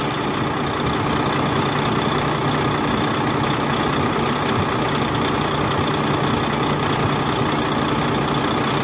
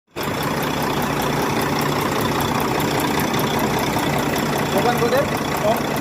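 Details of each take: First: Volvo truck diesel, likely D13, after valve clearance and injector adjustment for a ticking noise: steady, even idle with a low drone and no ticking or knocking; valvetrain sounds settled and healthy. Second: Volvo D13 truck diesel idling with a light, regular tick, about five per second, over the engine drone; valve train ticking, pointing to valve clearance needing adjustment, with injector adjustment.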